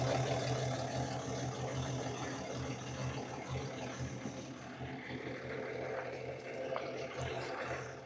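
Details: Cummins diesel pickup after injector solenoid work: uneven, stumbling clatter about three beats a second that never settles; rough idle, dead cylinder suspected, to be isolated by injector kill test.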